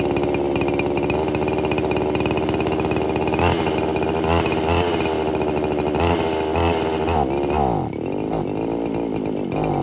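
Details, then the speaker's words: Roughly 40cc two-stroke chainsaw running on vodka with no oil, super lean; after brake cleaner sprayed in throat it revs high and unevenly, hunting, then sags. Surging and dying; too much air, not enough fuel, carb clean planned. "so I threw some brake clean down the throat of it to see if that would help it it sparked up for a little bit burnt all the brake clean and then died again"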